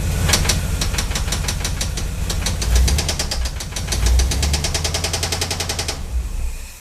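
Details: 350 small block Chevy V8, warm: sharp regular metallic knock that speeds up with revs, developed from an earlier ticking noise when warm; suspected spun connecting rod bearing, engine to be pulled to confirm.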